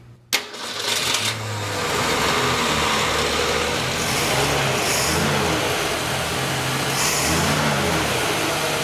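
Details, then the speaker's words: Straight-six engine with an Autolite 1100 carburetor, running during timing adjustment with timing advanced toward 12: it settles into a steady run with a couple of smooth throttle blips and no misses or popping; judged to sound pretty good. "yeah that sounds pretty nice though i think that's pretty good i think that's good"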